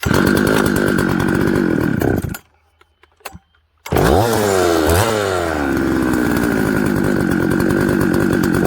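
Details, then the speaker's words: Husqvarna 266XP chainsaw with a changed carburetor, flooded, then leaned out slightly: dies briefly, restarts and struggles with a shaky, sagging idle; idle can't be adjusted without removing the top cover. "wow um okay so see how it's kind of struggling to idle"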